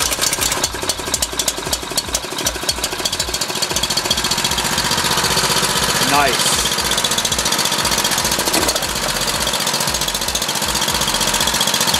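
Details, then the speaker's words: Dayton Professional Duty 4000 W gas generator after a no-start fix (fuel reached carburetor again, float-bowl drain plug refitted), running off choke: steady, quick, even putter with no misses or surging; running clean and quiet. "yeah you can see how quiet that thing is and that's pretty much it everything's good"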